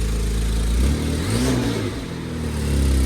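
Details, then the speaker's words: BMW 535xi E61 wagon: deep raspy exhaust note swelling with a short rev, rough puffing edge from an exhaust gasket leak, leaking for the third time; gaskets replaced. "sounds exhausted. It's like the third time I've replaced the gasket. Third time's a charm."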